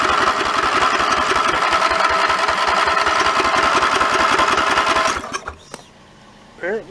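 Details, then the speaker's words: Mid-1980s Snapper rear-engine rider with an 11 hp Briggs & Stratton L-head industrial engine, sitting four years: five seconds of steady cranking at about 3.5 turns a second, never catching; no spark though fuel reaches the carburetor, with the key switch wiring suspected. "got no fire we actually got some fuel coming into the carburetor so i guess we gotta back up and try something different"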